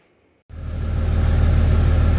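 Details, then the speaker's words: RAM right after fitting a new fan clutch, first test start: silence, then the engine fires into a steady deep idle with a firm even fan roar, nothing rubbing; the fan spins faster than the engine even without demand. Before repair, AC blew warm and coolant crept up at idle. "well that looks a lot better it isn't even being demanded on and it's spinning faster than the engine is spinning"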